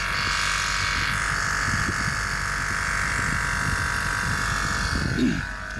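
A harsh, buzzing drone with a rough, irregular rattle underneath while the engine runs: the air ride compressor is grinding itself out.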